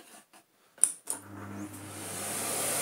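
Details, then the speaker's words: 1990s Philips Blue Magic Silence TC739 vacuum cleaner after taping the repaired hose end back on: following handling thumps, the motor spins up to a smooth, rising rush of air with no rattle or grinding; strong suction, normal running, though the LEDs still don't light. "hey we have fantastic suction although still still no leds on our thing"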